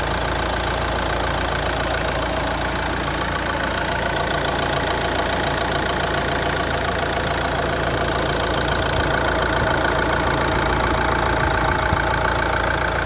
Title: R9M Engine noise Qashqai J11 1.6 DCI 130 215000km After cleaning injectors